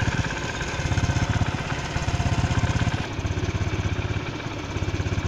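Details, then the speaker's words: Honda Pop 110i after cam chain area spring replaced with stronger one (engine opened, oil changed): small single evenly thumping idle, soft regular exhaust beat, no rattle or ticking from cam chain area; noise fixed. "Agora é o barulho normal dela. Não tá mais aquele barulheiro que tava fazendo."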